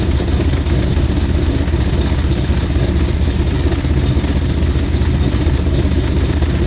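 Fast idle right after start with an uneven, stumbling beat and occasional dropouts in the rhythm; engine misfiring while cold.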